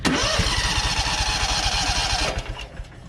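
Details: Known-good engine used to test a spark tester: fires straight away and runs evenly about two seconds; a healthy start.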